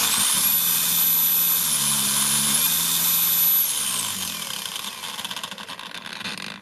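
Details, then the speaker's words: Counterfeit Makita DUC302Z brushless cordless chainsaw that would start only intermittently and stall in wood, motor phases swapped to fix reversed rotation, speed set to maximum, no load, before reassembly: steady high-pitched whine held flat at top speed, then smooth spin-down without grinding; normal. "Так, все, максимум по індикатору. Будемо збирати, перевіряти."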